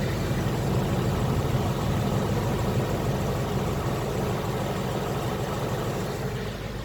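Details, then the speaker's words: 2018 Mustang with an engine tick when cold, idling against a wall with AC on after a 20-minute drive: steady, even, smooth hum with no ticking. The tick is gone when warm; owner suspects loose tolerances when cold. "I drove the car for like 20 minutes and I said let me put it up against the wall and see if I could hear the sound sound is magically gone"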